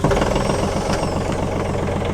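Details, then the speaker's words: TYM 413 HST 4WD diesel tractor, three weeks owned, restarted with temperature not up: even diesel clatter at steady idle, no miss, knock or strain; normal idle. "Yes! That sounds pretty good to me, and the temperature isn't up there."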